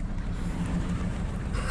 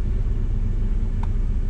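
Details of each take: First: Uneven, stumbling idle with an irregular low beat and loping pulses, RPM unsteady; no spark on one cylinder, misfire traced to a failed ignition coil pack. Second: Car after a misfire was fixed by replacing a coil pack: low, even rumble at idle with no stumbles or skipped beats; firing on all cylinders, normal idle after repair.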